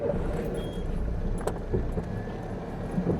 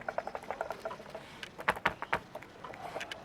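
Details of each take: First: Car after replacing the damaged front-right control arm, road test: steady low road rumble with only faint soft bumps, no sharp knock; the usual clunk when shifting into reverse is gone; normal suspension, no clunk. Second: Front-right suspension control arm ball joint, rocked by hand: sharp, irregular light clicks as the ball moves loose in its housing. Worn joint causing front knock, fixed by replacing the control arm.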